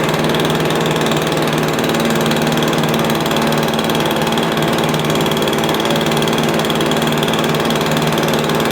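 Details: Stihl BR350 backpack blower after fitting the correct ignition coil in place of a knockoff coil: steady, even two-stroke drone at constant speed with no popping or spitting from the carb; running cleanly.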